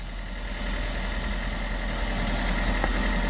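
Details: Toyota with Aisin MMT robotized gearbox after 3rd/4th gear synchronizer and gear washer replacement that cured knocking and crunching: steady, even idle with smooth low rumble and no knocks or clunks; driveline sounds healthy.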